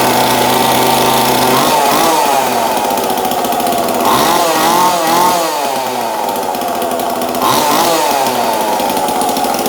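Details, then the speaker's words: 2002 Husqvarna 136 chainsaw just fitted with new aftermarket carburetor, air filter, fuel line and filter, no high/low/idle tuning yet; fast two-stroke buzz wavering slightly, never drops to slow idle; idle too high. "So it's obviously revving a little high."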